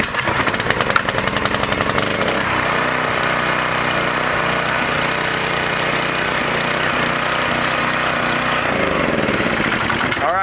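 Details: Small engine stored indoors for three months, about half a tank; restarted, choked, catches and settles into a steady, even buzz with a little rattle; running fine.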